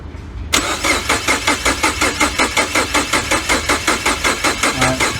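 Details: 2012 Mini Cooper Countryman 1.6L four-cylinder with no codes, battery dropping to about 11.4 V and no coil kV spikes: an even starter whirr with compression pulses near three per second, never firing; crank no start.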